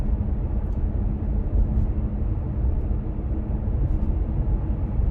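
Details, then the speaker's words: Kia Stinger driven over a stretch of road where the hatch usually rattles, after electrical tape was applied to the metal hatch latch piece. Only steady road rumble is heard from inside, with no rattle. "all right so right in this area is where i usually get them and i don't hear anything back there"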